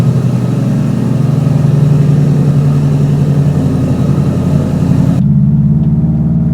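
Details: Subaru Forester with Cobb 3-port electronic boost control solenoid and revised tune, cold start: rough, busy cold idle with loose, irregular knocking over the engine note as the unsecured intake rattles against the fender; later fixed.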